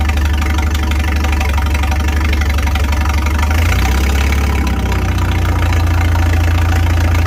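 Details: 1955 Farmall 300 RC with a straight pipe, run after sitting 14 years. After refitting the governor and throttle shaft that caused high revs, it settles into a steady, even low idle with a regular beat and no knocks or misses.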